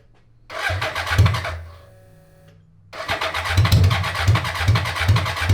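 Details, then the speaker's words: 1980s 1000cc BMW engine in a homemade mini trophy truck go-kart, air flow meter hose bypassed to rule out a lean-causing leak. Cranks, catches, then runs lumpy with pops and fireballs, seeming rich; not fixed: rough running. "seems uh rich doesn't it fireballs [Music] i'm gonna say it's not fixed"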